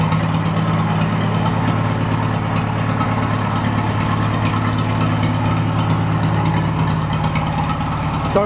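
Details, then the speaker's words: Farmall A tractor engine after install, first start with no coolant or radiator: steady, deep, even idle with firm low thump, no knocks or misses; good oil pressure, valves still to adjust. "I want to adjust those valves and then uh you finish butting up the nose on the thing sounds good though good oil pressure"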